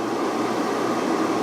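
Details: Van inverter on a LiThink 12V 280Ah LiFePO4 battery running an air fryer at about 1532–1543 W. Earlier it cut out at 11.8–11.9V from losses in thin wires and joints; now it holds 12.1–12.2V. Steady, even fan rush with no rattle: the inverter fan runs normally under load.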